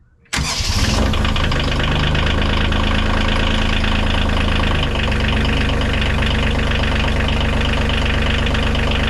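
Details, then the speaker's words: Bobcat CT2025 compact tractor diesel, first cold start after six months of freezing, snowy outdoor storage under a tarp with anti-gel in the fuel and a battery tender; fires almost instantly and settles into a steady, even idle clatter, no misses; normal cold start. "not bad we heard it six months or certainly freezing weather snowed on it a few times started right up no issues at all"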